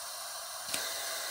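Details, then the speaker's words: Leak-down test, cylinder #1 of junkyard Jeep Liberty KJ 2.8 CRD diesel, 60 psi supply: steady sharp hiss of air escaping around a poorly sealed injector seat, heard by hand. "and I let go the injector see it drops down so if I could get that injector to seal a little better and you can hear it's just piss it out all around my hand there"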